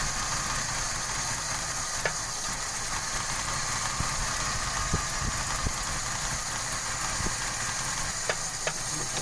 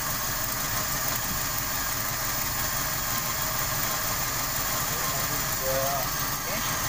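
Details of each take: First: 1995 Toyota Kijang 5K, uneven idle with irregular stumbles and faint hissing, stalling repeatedly; consistent with a vacuum leak at the distributor. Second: 1995 Toyota Kijang 5K with abnormal, stalling idle, after a likely damaged part was blocked off with a bamboo plug; steady even idle with no stumble, surge or hunting, back to normal though power is slightly low.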